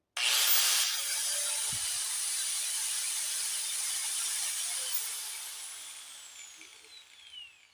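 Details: Angle grinder after armature replacement for a strange noise: spins up to a steady high whine, runs evenly, then coasts down smoothly; working perfectly.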